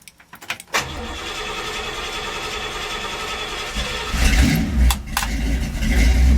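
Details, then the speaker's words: 1966 Chevy with a carbureted V8, after the wiring harness melted: cold start with choke working after 4 pumps of the gas, a few dry cranks, then it catches and settles into a steady run. Healthy. "There she goes. Choke's working. Had to give it 4 pumps. Needs cold temperatures."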